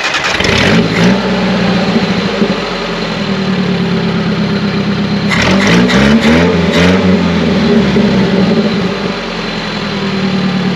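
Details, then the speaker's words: Classic Nissan 720 pickup, manual, after flushing out water and a tune-up: smooth low idle around 550-600 rpm, crisp throttle blips returning cleanly; runs healthy. "So as you can hear, we actually have that nice low idle like you want with a manual transmission vehicle, probably in that 550 to 600 range. It's very smooth."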